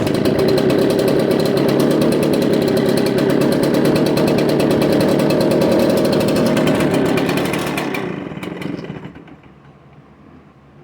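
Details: Echo PB770H backpack blower two-stroke, restarted hot after 10–15 minutes' rest with switch on, no choke: fires and buzzes rough for several seconds, then sags and dies, won't stay running hot. Cause suspected, not confirmed.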